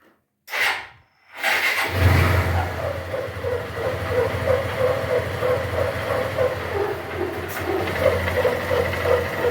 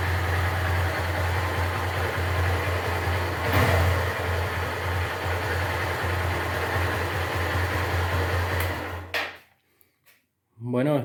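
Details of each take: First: Honda Titan 150 at idle before repair: after startup a loud, steady mid-pitched hum like something rubbing sits above the idle, sometimes stopping with clutch pulled and in gear; caused by a worn gearbox bearing. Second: Honda Titan 150 after replacing the worn gearbox bearing: steady single-cylinder idle with an even, smooth beat, no knocking or whine, before the engine is switched off.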